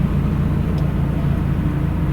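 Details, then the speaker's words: Mazda Miata four-cylinder, started at the end of the season before winter storage: a steady, even low idle with no misses or knocks, idling smooth. "But yeah, it's idling smooth."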